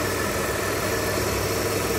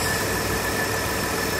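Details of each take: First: Mitsubishi Delica V6 after camshaft seal replacement, first run, no leaks: faint steady high whine over an even idle; owner unsure of source, suspects air in the power steering, but fluid shows no bubbles. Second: Mitsubishi Delica V6 after camshaft seal replacement, first run: steady, even idle with no misses, knocks or ticks; runs smoothly, normal idle.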